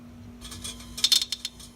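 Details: LG refrigerator, 6-year-old compressor totally dead and needing replacement: light metallic clicks and ticks over a faint steady hum; failed compressor clicking.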